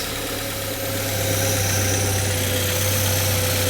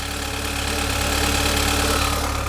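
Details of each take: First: Saab 9-3 Convertible left idling after lots of stop-start moving around; steady even idle hum, smooth low drone, no knocks or ticks; engine settled and running normally. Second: Saab 9-3 Convertible, apparently with an oil leak, just started: steady droning idle with a faint knocky undertone; odd noise of unclear cause that soon stopped by itself.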